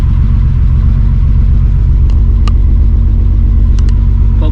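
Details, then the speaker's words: Holden VL Turbo Commodore first start after timing belt install, cold engine: fires first try into a steady, deep, slightly fast cold idle with even firing, no ticking or knocking; oil pressure good. "it's definitely pretty cold but um fired up first guy"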